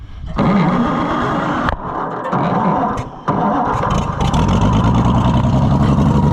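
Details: Oliver Super 77 tractor, sat in a scrapyard about 25 years: old petrol engine runs but sags and stumbles before settling; poor carburetor suspected as part of the trouble, choke not tied back, freeze plug worsening, rough running.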